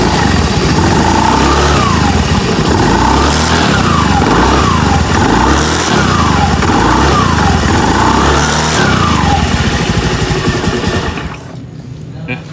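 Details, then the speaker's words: Honda BeAT FI scooter after CVT repair for a rumbling noise: throttle blips rise and fall cleanly with no rumble or grinding from the belt drive at the rear; noise gone. "Oke. Noise-nya tidak ada, noise di belakang sini tidak ada."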